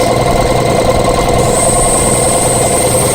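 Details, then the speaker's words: Old Camel Hossfield air compressor, about 20–25 gallon tank, auction find with water drained from it: steady motor drone with a regular pumping beat around 2.5 per second, building pressure evenly; cuts out near 120, back on near 100; leaks underneath and at the air filter. "Alright guys, as you can see, this thing works pretty well."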